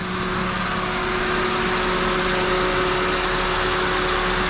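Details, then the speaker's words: 2007 Toyota Corolla four-cylinder idling in neutral, parking brake on, AC on: steady idle hum, constant droning tone and even fan rush; AC compressor and fan both working normally. "the fan motor is working okay the AC compressor is working so right now that's telling us the compression is working the fan is working"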